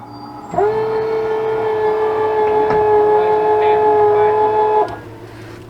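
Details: Lippert leveling system on a fifth wheel RV with a right rear jack fault, control board suspected bad: even, steady electric motor whine at one pitch for about four seconds, then cutting off cleanly, a jack motor running normally.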